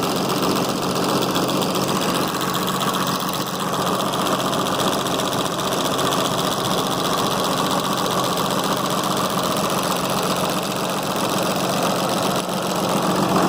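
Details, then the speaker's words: 6.7 Cummins diesel, high 200,000 miles, started during teardown and repair: steady even diesel clatter at idle with no misses, knocks or ticking, smooth as glass and oiling well up top. "well I got to tell you that's smooth as glass so I think that's the only problem"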